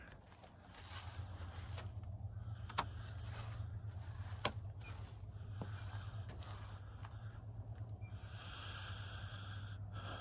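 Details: Improperly installed, tightly nailed vinyl siding warming in the morning sun after a below-freezing night. A few sharp, isolated pops, about three in ten seconds, over a low steady hum as the expanding siding slips free of the nail heads.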